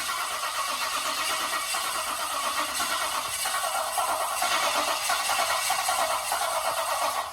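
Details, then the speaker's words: VL Turbo with an RB30 engine just installed, cranking after adding oil: steady rhythmic starter cranking for several seconds without catching; turns over fine but has no fuel. "Might need some fuel. Go on. Temp 2, we put some fuel in it, so good to go now."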